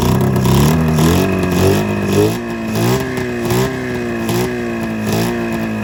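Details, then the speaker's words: 27-year-old snowmobile after coil replacement, running on one cylinder only with uneven, lumpy revving that stumbles and surges; owner suspects fuel delivery problem, possibly floats or fuel not being drawn in, since spark and air are present. "you see that one that one seems like it's running but this one on the other hand just seems like it's freaking just it's got a little spark eve"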